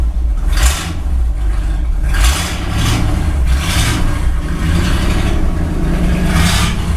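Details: 1964 Ford Galaxie 500 V8 just restarted after 15 years sitting, new condenser, idling: deep rumble with raspy blatting bursts about every second, no valve tick; exhaust in terrible shape, sounds bad.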